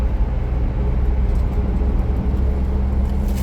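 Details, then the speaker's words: Perkins 4236 diesel, roughly 4.2 litre, in a narrowboat, running again after the boat sank and the engine was turned by hand; deep, steady thrum with even firing, no knocking or rattles; normal running. "Do a job, do somebody a favour, end up with this. Going again now at last."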